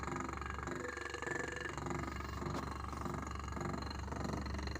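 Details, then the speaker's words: Reverse osmosis pump motor, never disassembled: low motor hum with an uneven, pulsing rattle roughly twice a second; owner suspects the rear bearing; motor rattle. "но у него есть вот такой косяк именно у мотора он так работает что-то в нем тарахтит"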